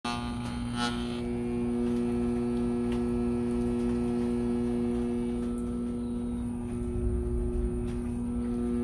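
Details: Roadside-found Arctic King window air conditioner: loud, steady low electrical buzz at one pitch from the compressor, which hums but doesn't start; compressor buzzing, cause unknown.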